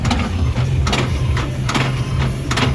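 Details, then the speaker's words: Cosmic Tower arcade game with Error 7, big ball hopper motor run from the test menu on the player two side: heavy clunks about every 0.85 seconds over low motor hum, similar to the clunking heard before it errored out. "That sounds similar to the clunking noise I heard right before it errored out."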